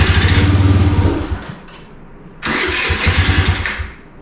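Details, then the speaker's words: 2017 Kawasaki KFX50 kids' ATV, unused for years: on starting-fluid spray it fires and runs rough and quick for about a second, then fades out, restarting and dying again; engine believed fine, carburetor suspected of starving it of fuel. "so yeah it uh it starts easy on spray so I believe everything's okay with the engine we just got to get the carburetor off of it clean it out and see if we can make it run without the spray"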